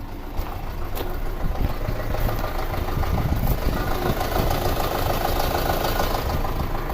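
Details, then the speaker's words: 2006 Audi A4 2.0T that sat a long time, codes P0300/P0303: rough stumbling idle from cylinder 3 misfire; injector suspected. "Look at that, Misfire in cylinder 3. I don't know if you guys can hear this. We'll come up here, we'll see if we can hear it. But it sounds horrible."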